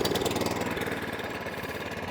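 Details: Atco Balmoral 20SK mower with a Kawasaki engine, E10 fuel previously left in the tank and carb; unused for 3–4 months, started first pull on half choke, then warming with the choke off; quick, even firing pulses settling into a steady, clean idle.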